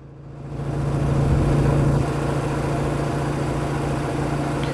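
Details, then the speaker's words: Engine idling on ion-sensing closed-loop ignition timing with about eight degrees of manual timing offset applied: steady idle hum whose tone shifts and settles as the closed loop retards timing by just over ten degrees. "can hear the engine change how it's running as this goes on okay now I have about eight degrees both leading and trailing and the closed loop is retarding by just over ten degrees"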